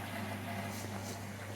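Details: Vaillant Ecotec Pro 28 combi boiler after repressurising expansion vessel and system, in purge mode: low steady pump hum, no burner roar or ignition clicks, pump alone pushing air out; normal.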